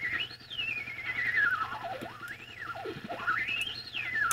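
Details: Vintage tube radio receiver that stopped working after a previous owner's restoration, warmed up at full line voltage: a howling whistle sweeps up and down like a theremin over a low hum as the receiver breaks into oscillation.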